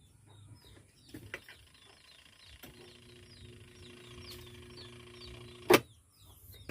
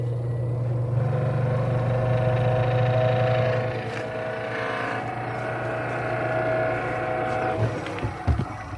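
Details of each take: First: Twin-tub washing machine wash motor: steady electrical hum after a switch click with no spin-up; it won't turn or turns weakly only when helped, traced to a weak run capacitor. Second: Twin-tub washing machine spin motor after rewiring, running with a steady low hum and even whir; it had not turned, only humming or spinning weakly.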